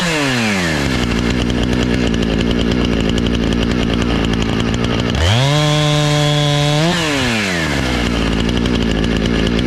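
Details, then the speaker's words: Husqvarna 455 Rancher chainsaw, after carburetor and fuel line repair and chain sharpening (had sat for years, died on throttle), test on a downed tree: steady idle, revs high and holds through the cut, eases back down without bogging; runs clean, no fuel issues. "it makes sawdust. That's what we were after. The chain seemed good and sharp and didn't have any fuel issues, it didn't seem like, so I think it's good to go."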